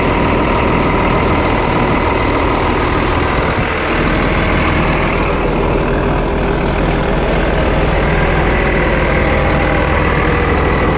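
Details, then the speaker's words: 8300T truck diesel at final assembly after an engine rebuild, before a test drive: big diesel ticking over at a steady, even idle with a deep, smooth rumble, no knocking or missing; normal idle. "you know she sounds good give her a little throttle"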